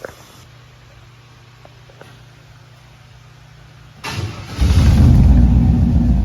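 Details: Truck with a newly installed aftermarket exhaust: quiet low idle, then a sharp throttle blip into a loud, deep, even roar; sounds better. Normal rev with aftermarket exhaust.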